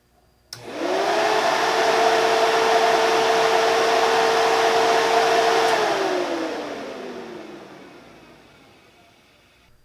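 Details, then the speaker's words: New Spal cooling fan replacing weak eBay fan, first test run before test drive to check temps; steady strong whoosh and even hum spinning up, holding, winding down; moves far more air than old fan, healthy but loud. "I mean it you can feel that that thing is definitely moving some air is definitely moving a lot more air than the eBay fan was"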